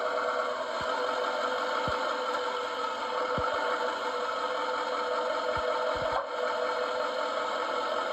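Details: 2019 GMC Sierra 3500 HD Denali diesel idles steadily with dull, irregular clunks from the driver's side front torsion bar and rear lower control arm area on every movement; owner suspects the lower control arm bushings, unconfirmed.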